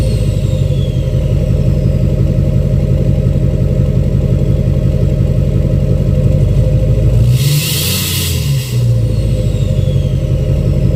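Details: 2006 Chevy Silverado LBZ Duramax diesel, revved in neutral with new 5-inch straight pipe, flow-through muffler and DSP5 tune; deep rumble, brief rev bringing rising turbo whistle, settling back evenly; normal revving.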